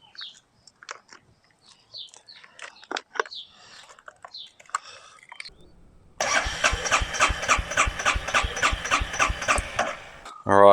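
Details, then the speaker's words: Stolen, neglected Royal Enfield Meteor 350: after handling clicks, the starter turns the engine over with even pulses about four per second and no scraping or grinding, healthy cranking; the sidestand safety switch prevented starting. "so the safety for the stand stopped it from starting I just wanted to hear it turn over it doesn't sound like there's any scraping or any issues there"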